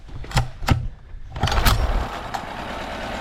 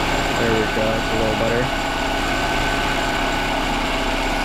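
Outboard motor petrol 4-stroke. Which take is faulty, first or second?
first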